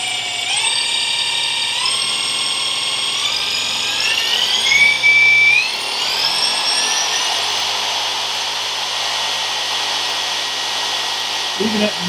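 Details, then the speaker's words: Ferguson TED20 dynamo bench-tested before stripping, spun up to about 4,000 rpm with the field coil connected. High whine climbs and holds, but output reads only 0.3; the dynamo is not charging. "speed I'm only getting three and I don't think that that generator was designed to run at that sort of speed"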